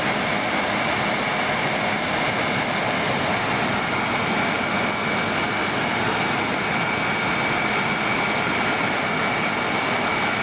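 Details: World Model A hand dryer after repair, with the blower housing refitted: loud, even rushing blower roar with a thin steady whine and no knocks; the brushed motor runs smoothly with very little brush arcing.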